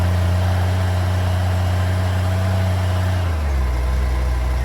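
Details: 1994 Honda GL1500 Goldwing Aspencade flat-six, first run in two and a half years after aftermarket fuel pump replacement: smooth, deep, even hum, idle drops and settles as choke comes off; normal idle, some smoke from oil left in cylinders.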